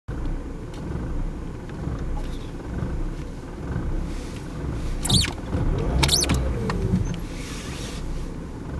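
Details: 1994 BMW E36 318is petrol rough idle after warm-up, low uneven wavering rumble; intermittent, sometimes with no power for 3 seconds when flooring in 2nd and fuel use of 15-20 l/100km; cause unknown.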